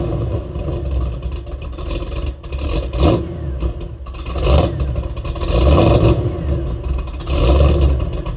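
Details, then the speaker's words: Ford Mustang with stock mufflers just after an SCT X4 custom 87-octane tune: deep V8 rumble through several blips, pulling cleanly with no misses or knocks; runs well and sounds good. "oh that's it I'm so happy that this thing is running it runs well it even sounds good even with those stock mufflers"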